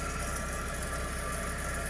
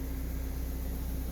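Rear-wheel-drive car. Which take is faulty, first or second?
first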